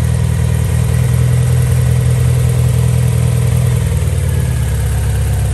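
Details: MG ZR with a running problem, at idle before coil pack replacement: steady low hum with a slightly uneven, stumbling beat; a cylinder not firing cleanly, coil pack suspected but not confirmed.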